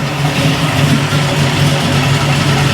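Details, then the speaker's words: 1971 Chevy Nova V8 with mufflers, run after years in storage while setting ignition timing (target 37° BTDC) with the distributor loosened; steady low burble, even firing, no exhaust leaks heard, normal idle. "Hearing protection, you know it has mufflers. See if she'll run. Sounds good."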